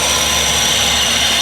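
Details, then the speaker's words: Limited edition Mazda Miata, 62k miles, idling: constant raspy scraping hiss from under the hood over a smooth idle, like a dry pulley bearing in the belt drive; owner suspects the non-working AC compressor. "So, this thing is making some horrible, horrible noises from under the hood. Sounds like a pulley. That sounds really bad. Hear that scraping?"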